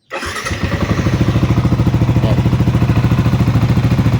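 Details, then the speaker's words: Sniper 155 VVA motorcycle after replacing the faulty timing chain tensioner (coolant refilled): starts first try and settles into a steady, even idle putter with no chain rattle or ticking; earlier tensioner noise gone, quiet again. "So ito lang pala yung problema, yung kanyang tensioner. Kaya may ingay kanina sa unang part ng video natin. Yan, bumalik na sa dati at tahimik na."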